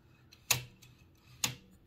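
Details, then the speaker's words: Toshiba BW-3112 Japanese kanji typewriter carriage with a truncated nail blocking the bearing cage: two sharp metallic clicks as the cage is forced to slide right, demonstrating cage creep that causes carriage resistance. "okay so if I insert that truncated nail to block the bearing cage you'll be able to hear that it is being slid"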